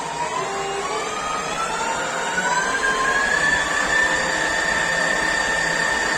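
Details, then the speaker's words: Microweily TY2500 lathe, new, motor on a VFD: smooth motor hum with a high whistle-like tone that climbs, then holds as speed settles; ordinary VFD drive whine, nothing wrong. "When you change the frequency, the motor will change sound, and at some RPMs it will start to almost scream or make a very, very high frequency sound."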